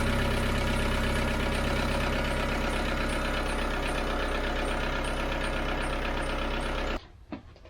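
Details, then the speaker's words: TDI diesel swapped into a Jeep, first start with the new AirDog lift pump wired to run with the key: the pump can be heard running, then about seven seconds of steady, even diesel idle clatter and a clean shutoff. "So we're going to fire it up here and see how it does. You probably hear pump running."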